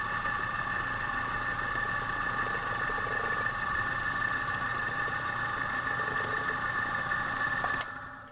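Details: Repaired compressor after a stone lodged in the valve jammed the piston and stalled it; run while charged with air to find gas leaks (oil seepage shows a small leak, to be rewelded). Steady even hum with constant high tone, no knocking, rattling or labouring; running normally.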